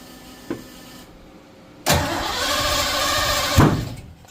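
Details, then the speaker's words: 1986 Ford F150 with a 351W, first crank after a Holley Sniper EFI and HyperSpark distributor install: the starter grinds the V8 over roughly without catching; distributor clocked one plug position off. "180 out? Maybe. Let me back up. Ooh, it's trying. It's trying."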